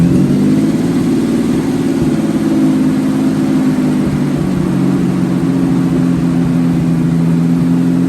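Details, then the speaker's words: Ford Bronco II with a hunting idle: a low rumble that rises and sags over several seconds and won't hold steady. It sometimes dies after starting. Vacuum lines are connected; the owner plans to adjust the idle screw. Cause unknown. "I out why it keeps dying here and there when you start it up as you guys can tell tell the idle paints a little bit after the idle's down"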